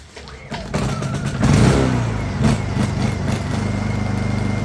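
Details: Honda EU2000i inverter generator, bought non-running after storage, started to count hour-meter flashes: brief cranking, fires, revs up and settles to a smooth even hum with no misses; normal start and run.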